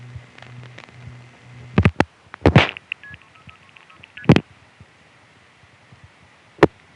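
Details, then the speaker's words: Kings Tandem call to Manhattan (DigB4) during the March 1975 fire outage with no direct trunk available: trunk-seizure clunks, then quick paired MF pulsing as the call routes via a non-sector ESS tandem (probably Williamsburg) instead of Gotham Tandem. "I just caught King's Tandem using a non sector tandem to get to Manhattan. Unheard of except during the fire period. And this is an ESS tandem."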